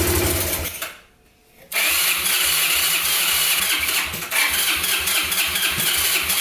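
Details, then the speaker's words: Abandoned Yamaha Breeze ATV on a cold day, started with gas poured into the carburetor and the air filter off: it catches after a gap, then runs with lumpy pulses about twice a second. Rough idle; owner suspects spark plug, missing air filter, choke or air leak. "all right well it runs pretty good it's not wanting to stay idling well for some reason it could be the spark plug or that the air filters not on it"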